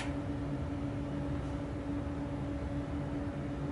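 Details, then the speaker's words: Newly built Weber 6A14 tube guitar amp kit idling off standby: only a faint steady low hum and soft hiss, no bad noise, working normally. "no real hum or bad noise and we have sound it's working"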